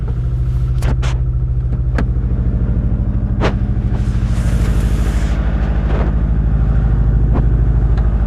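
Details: 2002 US Subaru Impreza WRX, cold engine at idle: steady hollow knock about two or three a second over the rumble; piston slap.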